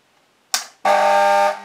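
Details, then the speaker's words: FPE Black-light 1x18-20W T8 fluorescent fitting, several years old and battered: after a click, a loud steady buzzing hum comes on and holds, an unbearably noisy magnetic ballast. Lamp holders often fail and need a knock. It will be dismantled. "Non mais là, ça devient insupportable comme bruit."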